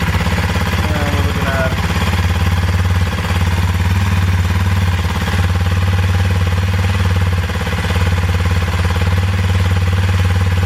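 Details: 2021 Kawasaki KLX230 single-cylinder after battery replacement, charging 14.2 V running: smooth, steady low thump at constant idle speed, no knocks or misses; healthy idle.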